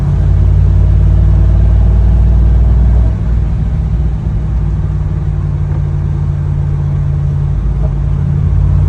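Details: C5 Corvette V8 misfire under load with code P0300: deep rumble with an uneven, stumbling pulse as it is loaded and revved; random misfire, cause not yet known.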